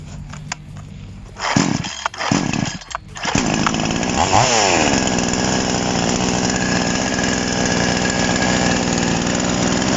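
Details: TOMITSU 5800-body chainsaw, rim-drive (ring) version, started after an initial screwdriver carb adjustment, air filter and cover off: a few pulls, then it catches, revs cleanly and settles into a smooth, steady high-pitched run; normal running.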